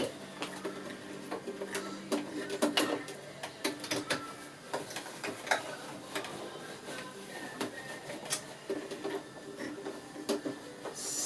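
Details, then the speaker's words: Sewing machine sewing very fine stitches on a pool blanket cover: uneven clacking with thumps and catches instead of a smooth patter; thread bunched up underneath, possibly from two threads of different strengths. "oh that's making a strange noise and don't like that"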